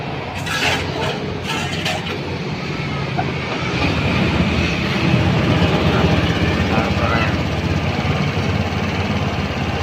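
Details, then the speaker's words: Honda Beat scooter after refitting a loose fuel-injection throttle body adjustment that caused a strange leak-like noise: even low engine hum building slightly and holding steady, no rattle or tapping; running normally after repair. "suara aneh ilang ya juga tidak selesai bang kita menggali penyakitnya tadi kita pengikutnya suara aneh di injeksi ternyata lepas setelan injeksinya"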